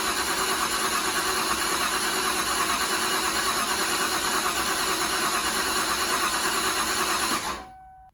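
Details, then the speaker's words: Ford Ranger with a swapped 5.0 V8, first start attempt: a steady whirring crank for about seven seconds that never catches. The distributor was wired to a circuit that shuts off during cranking, so there was no ignition. "I had the distributor wired wrong. I had it to one plug that would shut off when the key would crank."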